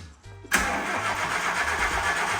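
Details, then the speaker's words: K11 Nissan Micra Turbo on its first crank: after a short crank it catches at once and settles into an even, steady idle, starting cleanly and running healthy. "she sounds good I think so that was that was genuinely the first the first crank camera it was"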